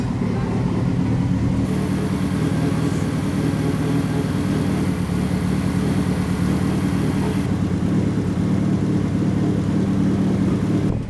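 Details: Fully built turbo four-cylinder Mitsubishi Evo 9 on first start during break-in: steady even idle, smooth low rumble, no knocks or misses; healthy.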